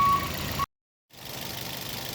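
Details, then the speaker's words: 2010 Toyota Vios Gen 2, first start after engine overhaul (piston rings, gasket set, bearings, water pump, coil and injector sockets, OCV), oil and coolant filled and primed without plugs: smooth, steady idle, one brief dropout, no knocks; normal idle. "Kita hidupin. Udah hidup ya. Wah, anteng ya mesin kita."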